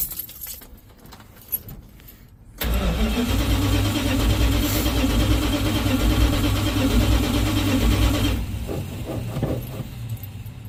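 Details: 1970 Dodge D100 with a Holley Street Dominator intake, no choke hooked up, after a new fuel line connection: starter cranks evenly about four turns a second for nearly six seconds and it never catches.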